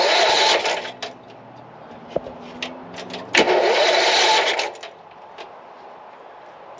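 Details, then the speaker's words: Newly bought riding mower engine for a go-kart project, chilly day, fuel on, choke, neutral, a little throttle: catches, runs rough a couple of seconds, then dies; fuel smell, possibly flooded. "well it definitely runs so it just didn't want to stay running"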